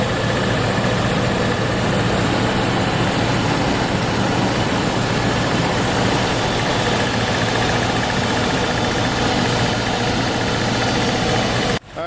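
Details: 1997 Land Rover Defender 90 engine idling warmed to operating temperature during the automatic transmission fluid refill after a filter service. Even, constant low rumble with no knocks, misses or surging; healthy engine.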